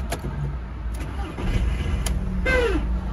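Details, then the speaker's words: Audi A1 starting: rough cranking with a whirring starter whose pitch sags as it turns the engine over; worn, tired starter motor causing the strange starting noise. "ces bruits là c'est bien le démarreur qui en cause l'allée de marjah ils commencent à être fatigués"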